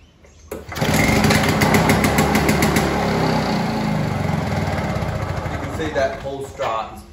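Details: Victa 2-stroke Commando lawnmower, found dumped at the roadside, on its test start after wheel and catcher repair and minor engine servicing: catches on the pull and settles into a steady, crisp two-stroke buzz with no misses or knocks; running healthy.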